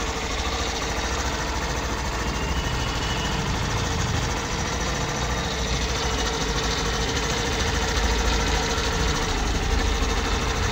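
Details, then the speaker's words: Hero Glamour BS6 XTEC motorcycle, low kilometres, started in gear with kick-start pinion removed: even quick single-cylinder patter at steady idle, no rasping or scraping; the khar-khar noise was traced to the kick pinion. "তো এখানে আমরা যেটা দেখলাম, গাড়িতে কিন্তু আর কোনো আওয়াজ নেই। কিকের এই পেনিয়ামটা খুলে নিলাম, তারপরে কিন্তু আওয়াজ নেই।"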